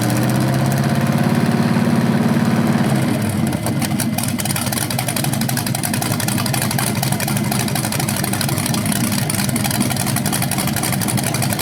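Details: BluePrint 396 big-block crate engine for a 1970 Camaro SS, first run on a stand outside after oil priming and a timing check: steady lumpy idle with clean, even blips. It sounds healthy with no leaks, though the owner notes the flywheel or headers sound different revving.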